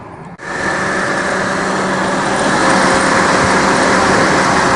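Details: Honda Civic accessory belt drive after the belt tensioner was tightened and the belt refitted. The engine spins up to a steady, even run with a smooth belt hum and no knocking or chirp; the belt drive sounds healthy.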